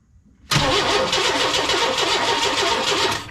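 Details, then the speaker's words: 1998 Chevy work truck, crank-no-start, spark tester on the ignition coil post: starter cranks evenly for about three seconds but it never catches; no spark at the coil, ignition fault being traced. "So we got no spark coming through here."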